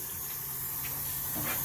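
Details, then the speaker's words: 1979 Chevy C10 with LS swap, rough-wired for its initial test fire: the separately switched electric fuel pump, sitting in a bucket, primes while the injectors are checked for leaks. A steady low hum with a soft hissing whir, even throughout; pump running normally. "You can hear the fuel pump running."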